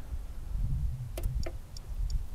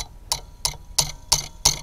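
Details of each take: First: Common rail injector from a Bobcat on a bench test kit at 5000 psi: faint, even solenoid ticks about three a second over a low rumble, but the injector never fires or sprays; stuck closed internally. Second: Bobcat Delphi common-rail diesel injector on a bench test kit, pumped up to fire around 4000 psi: crisp, even pops about three per second with no dribble; injector sprays properly with very little back leakage.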